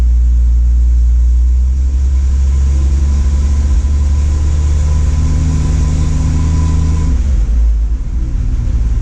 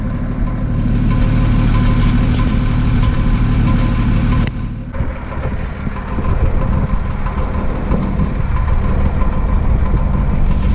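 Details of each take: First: Engine previously knocking, now warm after timing reset to four degrees before top dead center, vacuum at 18; smooth, even low rumble with no knock; normal idle. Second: Engine with coolant found in the oil: deep rough idle with uneven knock about four per second, worse; cause undiagnosed, plugs and head next.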